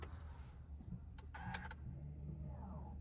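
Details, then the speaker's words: Honda in a quiet cabin: after parking in P and pressing the power button off while holding the brake pedal, a short whirring motor burst of about 0.3 s as the electronic parking brake applies automatically; normal operation. "ඊට පස්සේ ඔටෝමල එයා apply වෙනවා ඉලෙක්ටනික පාගීම් bake එක."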